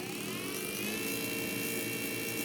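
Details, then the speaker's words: 3D printed BLDC motor with hall sensors on a new 6–60 V 400 W controller: smooth, steady high whir at even pitch, no knocks; nothing smoking, a stray noise is a battery hitting something. "so far so good. Nothing is smoking, and that noise is one of the batteries hitting on something."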